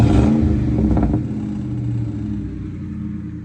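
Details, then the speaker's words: 1996–1998 Mustang GT V8 after installing Dragon Fire coil packs and 10 mm plug wires. Engine blips up and settles to an even, steady idle rumble with no stumble: misfire gone, throttle very responsive. "The car is running extremely freaking smooth right now. Like, and the throttle is fucking hella responsive."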